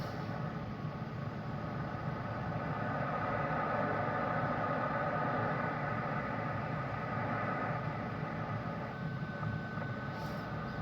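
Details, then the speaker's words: Yaesu FT-901DM transceiver with a CB mic, receiver about five off frequency: after keying up on the repeater only a steady rushing hiss comes back, no answering chime or tone; the repeater isn't being reached, cause unknown (owner suspects relays). "I don't hear it coming back to [Music] me so if I was getting into the repeater it will come back with a chime you know a tone but"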